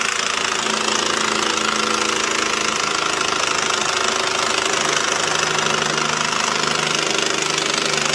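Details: White Outdoor LT542G riding mower, small twin, after new starter and electrical fixes, also drinking gas and dumping fuel into the oil: engine runs rough and uneven with an irregular stumbling beat, consistent with fuel starvation from a missing carburetor main jet.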